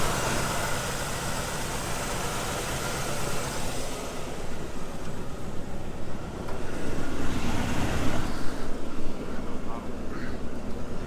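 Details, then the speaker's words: 1962 Chevrolet Impala 2-door hardtop, 327 V8, 4-speed manual, first start in 15+ years after fitting a throttle return spring: deep, even rumble with a mild regular lope, runs great, 60 psi oil pressure. Normal idle. "crank it damn this thing runs good she is mint hold on runs awesome 60 pounds oil pressure"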